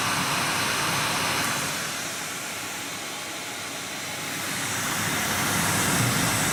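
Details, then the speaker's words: Nvidia GTX 980 reference card blower fan at 100% (about 4200 rpm): loud steady whoosh that eases then returns, no rattle or grind; healthy. Card idles at 32 °C. "so one is one hundred percent like I told you it is around 4200 rpm"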